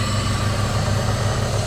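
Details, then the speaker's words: Daily driver with MAP sensor, no airflow meter, straight intake pipe with open cone filter: steady low idle rumble under loud hollow intake rush; engine runs evenly, noise is just induction from the open filter. "so what you do is you just run a straight pipe with a filter and bang it's all the induction noise"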